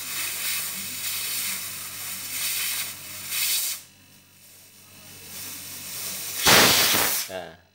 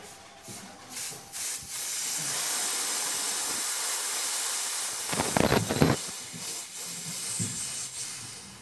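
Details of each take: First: Two-door top-and-bottom refrigerator not cooling (light on, fan turning, compressor running): sharp, strong sustained hiss of air bursting from the return line as it is blocked by hand, which cannot be held shut, so the compressor pumps well; small leak suspected. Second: Two-door top-bottom fridge not cooling (lights on, fan turning, compressor running): steady sharp hiss from the broken-open service valve pipe at the back, only a little gas, showing low charge from a micro leak.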